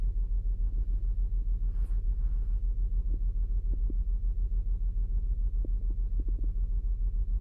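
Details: 2008 Saturn Outlook at cold idle, cylinder 1 misfire seen with the Torque app and a BAFX Bluetooth tool, only on cold starts; low rumble with a regular stumble about three and a half times a second.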